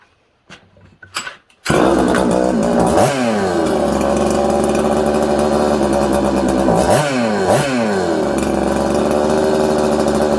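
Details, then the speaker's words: Newly built 266 two-stroke chainsaw at first firing, before air-leak fixes; it won't hold idle, revs sag and flare every few seconds, hard to tune, air leak suspected. "it's not idling good it's hard to keep idling it's hard to tune it's just all over the place"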